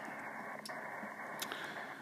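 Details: CenturyLink DSL modem interference on the 80/75 meter ham band, noise extending to just above 5 MHz: steady hiss with a raised noise floor and faint crackles, no signals.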